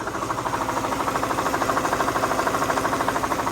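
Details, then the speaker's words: Mercedes SL500, driven from Florida to Ohio: sharp, very even knocking at about three per second over the running engine from the failing ABC tandem pump, to be replaced by a standard power steering pump. "So that's the ABC pump. Making a lot of noise, a lot of knocking, so that pump is no good."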